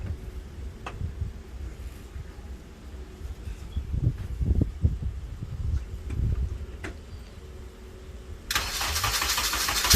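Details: K24A-swapped DC2 Integra on E85, first-ever start after fresh oil and filter: irregular cranking bursts with uneven firing that never catch into idle, then a hiss; crank-no-start from mixed-up timing sensors.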